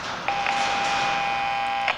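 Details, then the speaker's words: FM radio troubleshooting by signal injection, 800 Hz tone injected at the audio amplifier chip: clean, steady tone through the speaker without breaking up; amplifier chip passing signal normally. "i've got it on three i can hear it on my speaker now so i've checked my chip"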